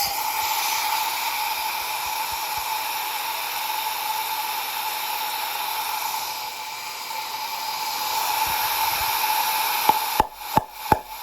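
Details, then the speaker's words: Promaxx cylinder head, engine turned by hand, test springs fitted, cylinder pressurized with shop air: steady airy hiss with faint whistle as air escapes past an intake valve that isn't sealing; 3–4 other cylinders leak too, head going to machine shop. "coming out of the intake. That should not be happening. And I went down the line. I did 3 or 4 of the other ones, and they all do the same thing."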